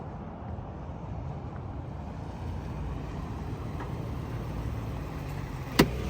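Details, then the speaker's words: Lexus GX 470 after swapping the OEM exhaust for a Magnaflow overland exhaust: a deep, steady, clean rumble at idle with no raps, drones or leaks. "sounds that thing sounds ridiculously good"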